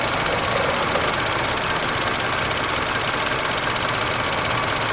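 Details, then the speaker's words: 2012 Chevy Cruze Eco with the Ecotec turbo engine at a steady idle. A bright, tinny rattle of about three per second comes from the engine bay and is not audible inside the car; the source has not been traced. "I can't believe how that rattles. You can't hear it inside the car. It's just messing up the video."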